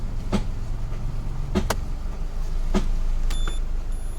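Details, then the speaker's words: Newly purchased used Peugeot 406 with weak battery, radiator fan bypassed to run on ignition: steady low idle with a sharp tick roughly every second over the hum; noise source unknown, not yet pinned down. "wonder why it's making that noise."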